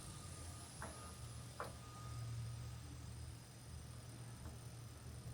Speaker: And the compressor is now running.